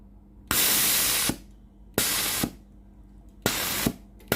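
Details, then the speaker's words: Philips GC9622 steam generator iron after water solenoid valve replacement, fault was dripping and no steam, tested at hose end: four forceful loud even hiss bursts cutting off cleanly; steam exceeds pipe length, valve normal. "When the steam is out, I will press it to see the strength of the steam. If the machine is normal, the steam will exceed the length of the machine's steam pipe."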